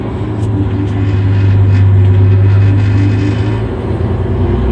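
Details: Terex articulated rock truck, Cummins M11 diesel, after fixing transmission that would not shift: low steady drone with even pulsing as the truck pulls away, no driveline clunks or grinding; normal.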